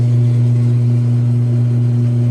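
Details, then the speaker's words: Roper top-load washer being fixed up (worn agitator), first test after reattaching a part with epoxy instead of super glue: steady even low hum at constant pitch, drum spins smoothly, no knocking or grinding; normal spin, timer works. "it's actually working dude okay that's like actually insane though I just fixed it like that sick"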